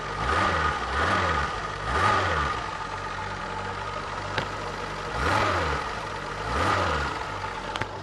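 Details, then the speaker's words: Long-abandoned Renault Alpine V6 Turbo, PRV 4-cam V6, run from a Nissan Leaf lithium-ion battery at slightly high voltage: steady idle, clean pickup on repeated short blips, no knocks or misses; runs well. "Engine थोड़ा अधिक वोल्टेज पर चल रहा है। इंजन बढ़िया चल रहा है"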